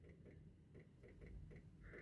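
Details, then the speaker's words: MG two-seater mid-engined sports car abandoned five years, battery charged to 12.6 V: with ignition on and engine not running, quick faint ticking three or four times a second from the rear; owner suspects the fuel pump. Lights dim when cranking, no start. "And I don't know if you can hear I can hear clicking from the back"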